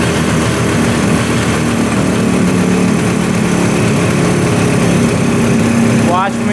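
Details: 1971 Suzuki T500 500cc two-stroke, sat 22 years; loud buzzy idle rises when sprayed at the intake manifold, which has cracks and no gasket; intake air leak.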